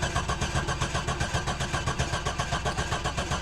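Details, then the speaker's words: C7 Corvette at auction cranking steadily with no firing, sounding possibly slightly galloping; fuel injected, no fuel pump heard, about 20 psi oil pressure while cranking, fuel pressure regulator looks new; crank no start. "engine sounds pretty good sounds like I might have a little bit of a Gallop to it and I do not hear fuel pump no"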